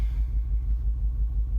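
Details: 2010 Mercedes-Benz misfiring badly at idle, check engine and transmission warning lights on, several mechanics unable to solve it: low rumbling idle with a pulsing, uneven, lumpy exhaust beat.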